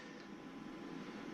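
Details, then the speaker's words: Normal cooling fan whir on an APC 1250VA UPS just powered on after replacing its dead batteries with 12 V 18 Ah ExpertPower units; faint steady spin, no rattle or grinding. "Here, you hear the fan? Fan's on, and then we power it"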